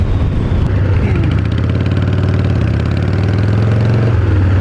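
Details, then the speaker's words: 1990 Harley-Davidson 883 EVO Sportster with reinstalled intake manifold, Keihin CV carburetor and Ultima single-fire ignition, warm after riding to a gas station: loose, lumpy potato-potato idle with deep even exhaust note, no misses or clatter; normal idle. "Oh wow, Wow, this thing's just a happy motorcycle."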